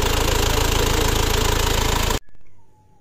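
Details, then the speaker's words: Isuzu Panther diesel after repair (the broken centre bolt of the timing/idle gear was replaced with a custom-made bolt): a steady, even diesel clatter with no irregular knock, then shut-off. A smooth, healthy idle. "Kita tes hidup, kita dengarkan suaranya. Yuk. Alhamdulillah teman-teman, suara halus. Halus banget."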